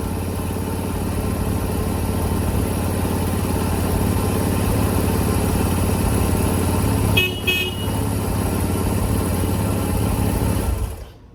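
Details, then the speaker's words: Small single, revived after new battery, valve adjustment and fresh gas: steady even idle for ten seconds, brief horn toot midway, then shuts off; runs healthy. "It's really hard to resist the urge to ride it because it's a lot of fun. But just kind of wanted to show it to you guys and fire it up here."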